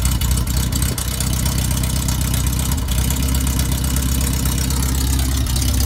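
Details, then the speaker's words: Banham Superbug kit car first start-up, battery fitted, firing order 1-3-4-2 set, loose coil noted: loud, raw crackling bark at fast idle with no exhaust fitted; exhaust system needs checking. "Seems like an old Spitfire firing up, man. Shit. Okay. Maybe we should have a look at the exhaust system."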